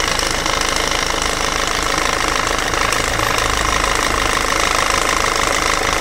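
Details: Peugeot/Citroën 1.6 HDi FAP diesel at idle: a harsh, steady clatter with a hard rapping rhythm over the diesel rumble; the owner questions whether the sound is abnormal, and the knocking cause is suspected but not confirmed.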